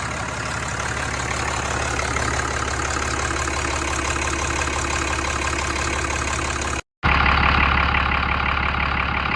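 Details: Ram 5500 diesel after engine repair, on a jump box with low batteries, first start while watching desired versus actual rail pressure: steady, even light clatter at idle with no misses or knocks; normal idle.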